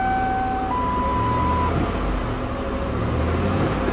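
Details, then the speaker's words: 1997 Lincoln Continental V8 at idle after repairing a burnt spark plug wire on a misfiring cylinder; even steady rumble, no more puffy sound, which returns when the wire is unhooked. "no more little puffy sound let's do the final test sounds good here"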